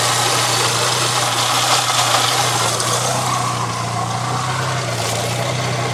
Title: water leak and clicking sound Saab 900 s 1997